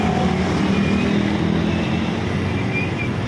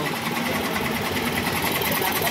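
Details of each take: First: Yamaha Mio 125 scooter idling smoothly and evenly after connecting rod replacement; the rough bottom-end noise is gone. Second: Yamaha Mio 125 scooter engine with a fast, rough mechanical clatter from inside, caused by a cracked connecting rod.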